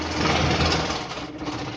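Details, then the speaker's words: New air cooler fan with an unbalanced blade: loud fast buzzing and flapping rattle over a steady hum, with heavy vibration that loads the motor bearing and shaft and risks early motor failure. "क्योंकि इसके बेयरिंग और शाफ्ट के ऊपर लोड पड़ता है ऐसे वाइब्रेट करने की वजह से।"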